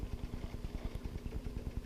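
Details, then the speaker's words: Vintage Aristocrat aquarium air pump. It runs with a soft, even, quick thumping with no rattle, much quieter than the other pump while putting out good pressure, which is normal running. "Plug this one in, and it's a whole lot quieter. You can barely hear it, but look at the kind of pressure it puts"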